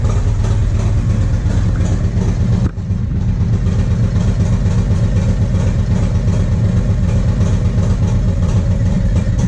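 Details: 1994 Harley-Davidson Road King FLHR, original 80" EVO, Carl's Speed Shop heads, CV40 carb, Screamin Eagle air cleaner and 2:1 exhaust: loud, uneven V-twin thump with a sudden drop near three seconds, a light-throttle stumble/misfire from a carburetor fault.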